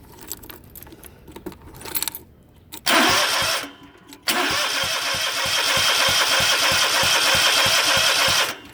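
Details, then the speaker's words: Zero-turn mower with Kawasaki FX730V engine that popped, backfired, threw black smoke and quit while mowing; steady cranking with sharp pops but never starts. "When you try it, well, I didn't bring my key, hang on. You can hear it kind of pop when it turns."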